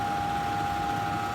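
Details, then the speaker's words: Central air unit in the attic. A loud, steady electrical hum with a sharp tone over the fan noise while the fan motor struggles to start. The owner deduced a failing capacitor, before replacement. "knows but you can probably hear it I'm sure my air conditioner the fan is being real loud"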